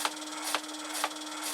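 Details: Multi saw blade shredder for 3D-printed parts, 24 V e-bike motor fed 12 V, unloaded, motor mount bolts loose: steady hum with a scraping swish about twice a second, once per turn; blades rubbing, not taut or centred.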